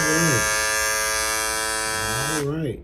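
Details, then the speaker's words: Andis GTX EXO T-edger clipper after reassembly: steady high buzz then wind-down; visible gap shows blade out of place and too loose. "see the little gap between the blade right there that means something is out of place something ain't right somewhere something's out of whack somewhere it's too loose"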